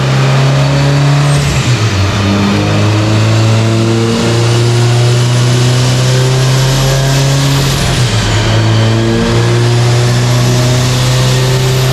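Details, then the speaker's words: Subaru Forester STI with stock longblock, Precision 6870 rotated turbo and new coil packs, warm dyno pull under load: steady high-rpm drone keeps cutting out in short stutters while AFR goes lean; ignition breakup. "so as you guys saw they're still broke up on that pole we definitely have something going on right now I can rev the car up as you guys are hearing there and it was break up"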